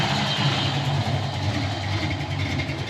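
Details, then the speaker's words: 1988 Ford Mustang LX 306 V8 at normal operating temperature: low, even burble with RPM holding steady. Earlier, cold at about 150–160 on the gauge, it loped at about 500 RPM. Healthy warm idle. "now the temp gauge on it the temps come up to like normal operating temperature and you see them RPMs is just steadily holding"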